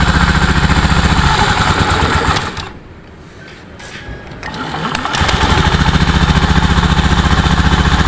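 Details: Honda Beat ESP scooter after an engine rebuild: its piston and block were badly scored, letting oil burn off. Oil refilled and test-started after reassembly. Even, quick putter at about four beats a second, dips briefly then settles smooth; normal idle.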